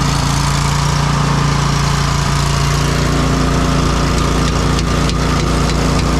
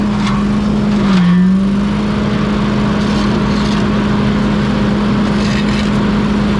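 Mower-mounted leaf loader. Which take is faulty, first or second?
first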